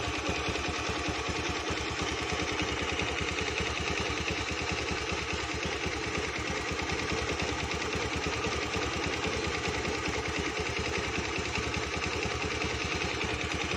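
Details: Honda Beat automatic scooter at idle: a rough, uneven, thick, dull ticking knock about three times a second, suggesting a bottom-end or piston knock; the cause is suspected, not confirmed.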